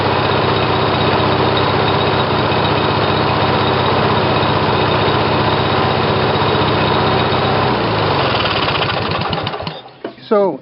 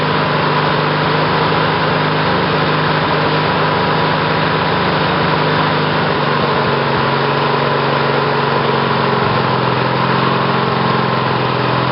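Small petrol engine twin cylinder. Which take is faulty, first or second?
second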